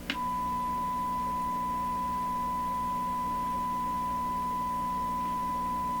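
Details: Stewart Warner R514 tube radio, signal traced at 6B8 stage: a clear steady high tone without crackle, hum or dropouts sounds clean, though level at the 6B8 grid on the transformer secondary seems too low.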